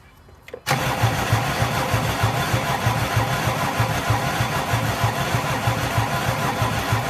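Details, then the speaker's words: Mercedes 300D diesel, sat about three years with water in fuel system, after refilling with fresh diesel: long cranking suddenly catches into lumpy, uneven clatter, still rough and smoking white; fresh diesel got it running. "it's going it's going it's almost there guess we just needed some nice diesel almost there perfect"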